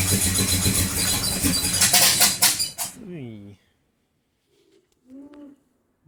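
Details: XC Ford Falcon 351 Cleveland V8 after MSD Pro Billet drop-in distributor install: cranks hard about three seconds and never catches; possibly mistimed ignition, timing then adjusted.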